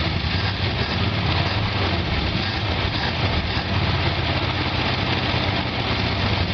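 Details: 1973 Chevrolet El Camino, first start after sitting about seven years, new spark plugs: steady low rumble with a fair amount of hiss, no clear miss or knock; cause of the hiss not confirmed.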